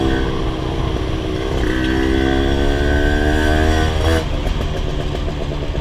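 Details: Rebuilt Honda LS125 two-stroke while riding: revs climb steadily then bog and stumble mid-throttle, low and high speed fine; owner suspects carburation, possibly gear ratio, for this mid-range flat spot.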